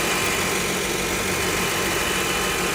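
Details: 2008 Honda CR-V at idle after replacing the alternator, belt and PCV valve; smooth, even idle with a steady hiss and no squeal, chirp or knock, no battery light so it is charging; normal idle.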